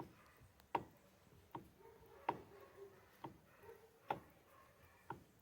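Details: Mitsubishi L200 Triton steering. Sharp wooden-sounding clicks every second or so come as the wheel is worked in a quiet cab; the owner thinks it sounds like a bearing, cause unknown.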